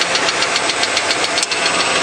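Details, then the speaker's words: Truck with 197,000 miles at steady idle: sharp, light ticking about seven or eight times a second, like a small ball-peen hammer on the intake or valve cover, same loudness cold or warm; source not pinned down. "it's a loud you know it's kind of like if you had a small ball-peen hammer and you're kind of hitting it on the top of the intake is kind of the sound it makes or the top of the valve cover"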